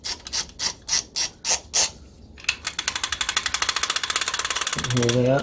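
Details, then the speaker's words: 1959 Shakespeare Spin Wondereel No. 1761 Model FB right-hand underspin fishing reel: rapid clicking while cranking, louder when winding fast; pickup pin suspected to strike dented cover, shiny wear mark at the dent. "it's only when you wind really fast it's almost like the what's happening is that this centripetal force is causing that pickup tend to fly out into the side of the but I don't know if that's possible and it's it's at maximum right now"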